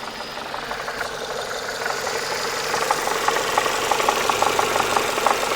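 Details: Renault Megane 2 engine, warm. Sharp, fairly regular knock about three times a second over smooth running; it shows when hot, on throttle lift-off and at steady revs while driving. Internal engine knock.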